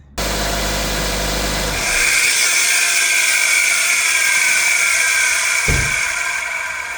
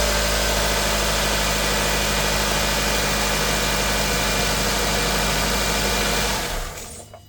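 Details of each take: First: 2002–06 Nissan Altima 2.5, before alternator replacement: a loud, steady high-pitched whine over the running engine from the failing alternator. After the new alternator it runs quiet. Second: 2002-06 Nissan Altima 2.5 after alternator and belt replacement: even, steady idle with no whine or squeal from belt-driven parts, then a clean shutdown; the earlier loud noise is gone.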